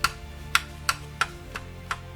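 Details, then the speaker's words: JVC VN-300 vintage receiver after all switches were thoroughly cleaned, music muted: sharp faint ticks about every third of a second over a quiet background; minimal click, likely a harmless quirk of this receiver. "słyszycie taki lekki trzask minimalny, ale ja myślę, że tego już nie zniwelujemy i prawdopodobnie jest to to taki mankament tego sprzętu."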